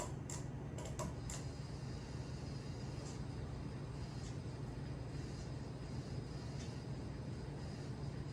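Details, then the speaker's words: Casablanca Panama ceiling fan with XTR motor, about 2001 or 2002, on medium speed: a constant low hum with a few faint clicks; XTR motors are said to be commonly noisy, though it still moves air. "and as you can hear it's quite noisy because from what i've heard is is a uh very common thing with xdr uh casablancas like the the the xtr motors are known to be uh noisy"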